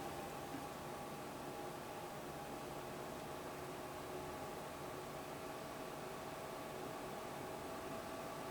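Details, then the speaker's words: Dell DN004 heatpipe cooler (from XPS 400, made for Pentium D) adapted to an AMD Ryzen Socket AM4 CPU; idle upper 30s °C, under load steady airy fan rush rising slightly in pitch, runs cooler and much quieter. "So you hear the fan ramp up a little bit there. So not only does it run cooler, it's quieter. A lot quieter."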